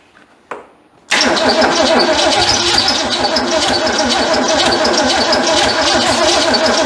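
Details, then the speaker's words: Ford Fairmont sitting 35 years, cold weather, previously wouldn't start: starter catches, then long rough burst with uneven firing and no clean idle; engine flooded with fuel. "my got just flooded it let me turn it on uh jump start"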